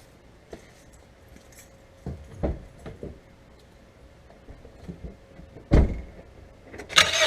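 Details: Mazda 3 front-end clicking and popping noise: scattered sharp clicks and pops at irregular intervals while maneuvering slowly; cause not pinned down.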